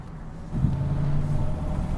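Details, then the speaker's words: Copart Chevy Silverado V8 with a new transmission, held in each gear while shifting through: a deep, loud exhaust drone rising unevenly and lumpy. Misfires persist and it runs badly; the owner guesses the issue is elsewhere. "okay the misfires are still going on so that is unfortunate I guess we have an issue elsewhere it runs like absolute crap"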